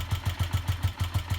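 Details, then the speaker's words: Honda CG125 with old fuel still in the tank and an uncleaned carburetor, running on a borrowed battery: slow, slightly uneven single-cylinder thump, about seven pulses a second; idle sounds a little low, possibly a gummed-up carburetor. "Still Idle sounds a little bit low, but yeah, as Kieran says, we've still got all fuel in there. The carburetor's not been cleaned, so that might be gummed up a little bit."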